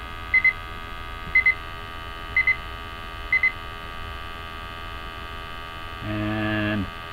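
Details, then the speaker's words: Multi-gas detector bump test before confined-space entry, with CO, LEL and oxygen alarms triggered by test gas: four sharp high double beeps about a second apart, then silence as the sensors return to zero and the alarms clear. "you do not want to keep applying gas you you just want to apply enough gas to bring in the alarms and now you hear as the we're uh the cells go back to zero the alarms will drop"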